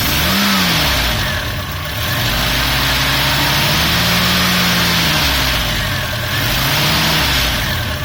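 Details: Volvo Amazon with B20 four-cylinder idling and revving: a busy clatter or knock rises and falls with revs; owner unsure whether it is the valves, and the cause is not established.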